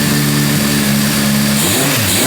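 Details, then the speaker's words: 1978 Honda CB550K at settled idle, free-revving cleanly and dropping back after the cam chain, found off by one tooth, was reset. Valve train noise is gone, but a problem past about half throttle still remains. "Revs up fine."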